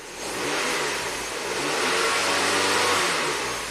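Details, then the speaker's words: 2009 Ford Fusion revving rough and rich: coarse, uneven roar; O2 sensors at 1 V, pending P2196 bank 1 sensor 1 stuck rich, MAF reading 0 g/s with no MAF code, fuel trims down to -26 to -28% yet still rich. "runs like garbage. So it's starting to take fuel away a lot. Oxygen sensors, it's starting to come down."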